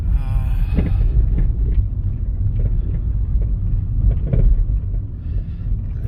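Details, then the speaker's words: Nissan after new front shocks, driving rough road: repeated dull clank clank over each bump; suspension loose, bounces when pushed, needs tightening. "May napansin ako May May nagka clank clank clank na ganon pagka ah nalulubak ako"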